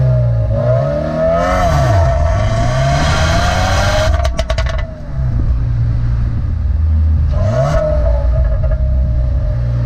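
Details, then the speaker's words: 2015 Subaru WRX, stock exhaust, driving: revs rise and fall through the gears with light crackles as the throttle lifts; normal overrun popping. "one time I was driving around in my car and I realized that the exhaust crackles pops and that was the best day of my entire life"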